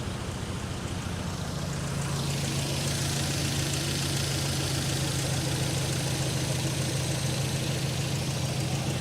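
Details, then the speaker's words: Nissan 200SX on Speeduino Ocelot standalone ECU, first startup attempt after sitting unused for a long time: rough fresh start settling into idle with steady light tapping; unsure whether pinging or valvetrain, owner suspects an unhappy lifter. "I think it's just a lifter. Lifter unhappy. It hasn't run in forever."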